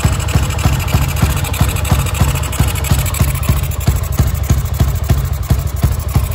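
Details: Motorcycle that stumbles intermittently while riding, idling just after a new Bosch battery reading 12.3 V was fitted: a low idle thump around three beats a second with uneven, stumbling gaps; the misfire persists, so the battery may not be the cause.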